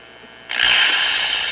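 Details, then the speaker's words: 1956 Symphonic "one tube wonder" record player, 6SQ7 tube, after fitting a modern 0.5V ceramic cartridge and added preamp: abrupt steady shrill squeal with hum, amplifier oscillating because the 6SQ7 metal shield (pin 1) was not grounded to chassis. "oh well that don't sound too great does it sounds like we got some oscillation going on here"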